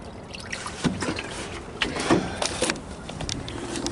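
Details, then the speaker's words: 1957 Chevy big-window V8 pickup being refilled with coolant, radiator level low; irregular bubbling and gurgling bursts as the system takes coolant and purges air. "i wish you could have heard it gurgling the whole thing was going like give me a drink i'm porched and it was gurgling maybe it'll gurgle for us again that was a happy sound coming from this motor"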